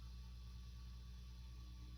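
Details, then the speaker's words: 1976 Fender Twin Reverb after restoration and service: faint, steady low mains hum with nothing rising or crackling, far quieter than before. Normal low hum. "but I think that's pretty normal nothing like what we had it was quite loud"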